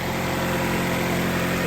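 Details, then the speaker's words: 1997-2001 Honda CR-V B20 after valve cover gasket, spark plugs, cleaned terminals and ground wires: steady even idle hum, no booms, misses or ticking; normal idle. "Start it up. Yeah, front started up now."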